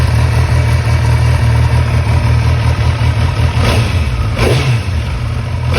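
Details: 2011 Kawasaki ZX-10R (gen 4) four-cylinder, after fitting a PSR cam chain tensioner to fix rattling: smooth steady idle with sharp throttle blips, no cam chain rattle.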